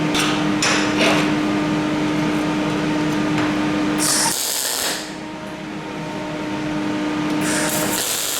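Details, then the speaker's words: Parweld XTM211Di multi-process inverter in MIG mode on 3mm coupons: harsh crackling arc with sharp pops and steady buzz, broken by pauses; heavy spatter and large droplets because voltage is set too high. "Okay, I'm getting quite a bit of heavy spatter there, so I'm just going to adjust the voltage down a bit. That should get rid of the heavy dropper."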